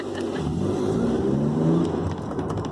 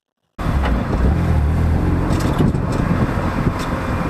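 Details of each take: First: BMW Z3 roadster on a test drive after new rear brake pads were fitted to fix a rear-end rattle: steady engine drone with road and wind noise, no rattling over bumps; rear brakes now quiet. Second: BMW Z3 roadster, recorded at the rear suspension while driving: loose metallic rattles over heavy road rumble as the rear wheels drop into bumps and cracks; the rattle was partly fixed with new rear brake pads.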